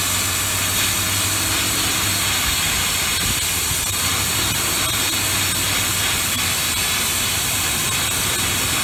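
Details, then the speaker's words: 1995 Ford F150 at idle before a Seafoam treatment, dirty throttle body and intake: loud steady airy hiss from a big vacuum leak over a low, rough idle. "So this is going to run piss poor. Hear that big vacuum leak."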